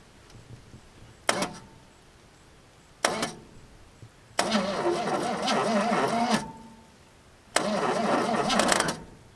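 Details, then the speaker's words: Long-parked truck after the starter circuit was crossed over properly so the Bendix engages: two sharp clicks, then two slow, uneven cranking bursts of about two seconds; it sounds terrible, but the engine is not locked up. "It sounds terrible, but it does work, and our engine is not locked up just like we had hoped."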